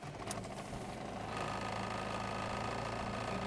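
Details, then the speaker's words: VW Golf MK3 GL (German) after ignition timing reset, new idle actuator and adjustment, fixing throttle cut-out and stalling: starts without hesitation and settles into a smooth, even idle with no stumbling; normal start and idle, no longer cuts on light throttle. "liga de boa, corresponde aqui acelerador de boa. E se eu acelerar devagarzinho, ele não vai mais cortar, tá galera?"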